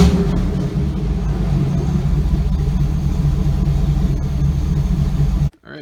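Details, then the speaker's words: Chevy Avalanche with LQ4 6.0L V8 swap, muffler off with pipe hanging: deep loud open-pipe rumble at steady idle, smooth firing without ticks or knocks; healthy. "I mean we're pretty much there guys you heard it idle and run off and I like it"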